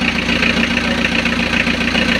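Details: Diesel idling right after oil pump and timing belt replacement, before coolant is added and with the alternator not yet fitted, during a leak check: even, steady idle with a regular beat and no knocks or misses; running smoothly.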